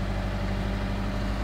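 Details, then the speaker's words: 2005 Subaru Forester XT turbo, first start after sitting a few days following VVT oil-control solenoid work for code P0011, code cleared: steady, even idle with smooth low hum, no knocks, ticks or misses; healthy. "been sitting here for a few days so so far everything feels good"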